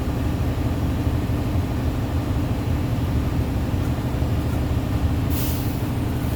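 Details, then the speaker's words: Truck air brake pre-trip test, engine idling with windows down while air builds toward 120–140 psi; a steady diesel idle rumble, then a short sharp puff of air at about 125 psi, the normal governor cut-out purge or sneeze. "That's the sneeze. That's when your governor is cutting out. It will sneeze, letting me know that it's all the way raised to the governor capacity, okay?"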